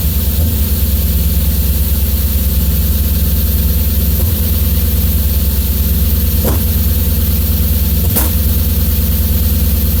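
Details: BMW S50 engine, warm, idling with an uneven beat and recurring stumbles about three times a second; misfire at idle.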